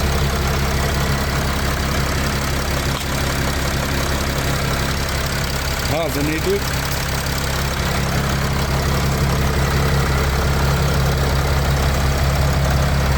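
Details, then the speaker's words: 2012 Mercedes Sprinter 519, 3.0 diesel 140 kW, 6-speed manual, 393 thousand km; starts softly after glow light goes out, low even idle rumble with no smoke. Normal idle. "заводимо м'яко автомобіль завівся невеликі обороти Подивіться чисто м'яко працює 393 пробігу"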